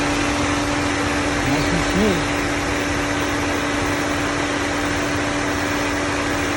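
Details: 2001 Nissan Sentra 1.8L QG18DE DOHC, first start after head gasket replacement: steady, even hum with a constant tone, no knocks or misses; normal healthy idle.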